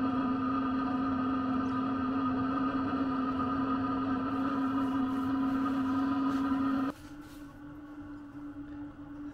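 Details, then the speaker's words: Sherp ATV Webasto parking heater warming the vehicle on a cold start, heard from outside: loud steady fan drone that suddenly quiets near the end; normal, loud until up to temperature, then calms down. "i don't know if you can hear that but it gets pretty loud actually on the outside gets really loud and then it'll calm down after the whole thing gets uh up to temperature"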